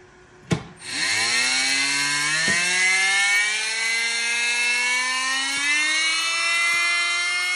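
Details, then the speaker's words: Primal RC monster truck converted to electric, Lehner 30100 brushless sensored motor, MGM 1000 A ESC on 12S lipo, no chain attached: clean whine climbs steadily then holds high and smooth; normal no-load spool-up. "it needs a chance to spool up and here's what it sounds like on 12s with no chain attached just the motor spooling"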